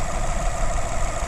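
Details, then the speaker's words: Rebuilt 2015 Nissan Altima bought from Copart, check engine light on. A steady, even low rumble at idle with no knocks, misses or surging. The engine idles smoothly and runs very well. "runs extremely well for what it is and very happy with the car in general so"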